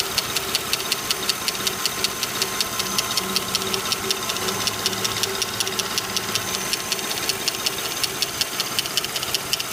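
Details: Lincoln Town Car at steady idle: sharp regular light ticks about two per second, a top-end rattle/tick; owner suspects a lifter, not confirmed.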